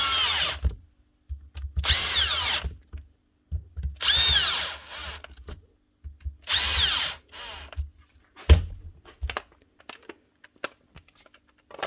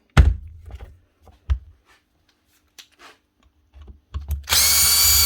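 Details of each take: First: Milwaukee M18 ONEFHIWF12 1/2-inch cordless impact wrench after repair; it had rattled and growled and got a new rear bearing cover plate. Short trigger pulls now spool up cleanly with a smooth, even whine and no rattle: normal free-running motor. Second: Milwaukee M18 ONEFHIWF12 / 2863 cordless impact wrench with seized motor: clunks, stuttering bursts and a harsh high whir as it tries to run; hopefully a failed rear bearing that has jammed the motor.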